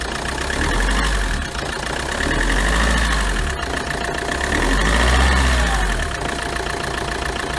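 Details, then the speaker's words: Chevrolet Tracker diesel at idle, hood open, after replacing the ribbed belt pulley and idler pulley that caused a knocking noise: steady even clatter, no squeal, chirp or rumble; noise gone, normal idle. "Olha aí pessoal como é que tá o barulho agora depois do reparo efeito estava nas polias a estriada e essa polia de apoio aqui fiz a substituição e o barulho acabou"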